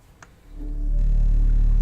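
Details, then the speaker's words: Apple HomePod speaker before repair: one sharp pop at power-up, then the setup tone, caused by DC offset at the amplifier output, measured at 500 mV. "we're gonna check our DC offset just confirm that's where our uh farts are coming from and how bad this is"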